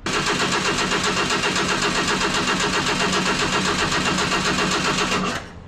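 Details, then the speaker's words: Junkyard 1977 Datsun 710 wagon with fuel supply and return run to a can, cranking to get fuel to the carburetor: rapid even starter cranking about four beats a second, never firing; cranks but won't start. "so i'm just gonna sit here and crank on this thing see if i can start to get fuel out of carburetor at all"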